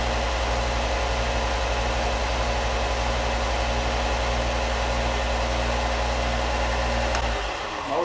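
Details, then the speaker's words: Harbor Freight Bauer belt sander, plug-in run: steady, even motor hum with smooth drone, no knocks or scraping, then winds down; motor sounds healthy. "Motor sounds good. That's one of the things somebody wrote, that the belt stayed on this pretty well."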